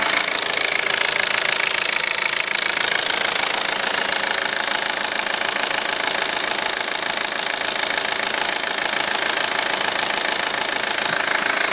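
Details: Audi A4 1.8T idling in garage after 3.5–4 hours of driving with the low oil pressure light on: steady, fast ticking clatter over the engine hum; cause suspected, not confirmed.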